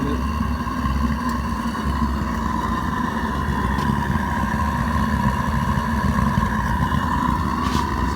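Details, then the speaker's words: Homemade metal foundry propane burner at about 15 psi during fine tuning, running a few minutes: steady even roar with a low rumble underneath, no sputtering or surging; burner generating good heat. "at 15 psi right now, or whatever that gauge is, 15 something. Sounds good. It's definitely generating some heat."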